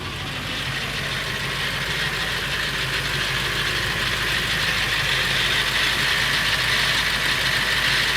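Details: Late 1999 Ford F350 with the 7.3L Powerstroke diesel at idle: a busy metallic rattle, about three beats a second, rides over the clatter. It is more pronounced under the truck. The owner wonders whether it is the flexplate or the engine; the cause is unconfirmed.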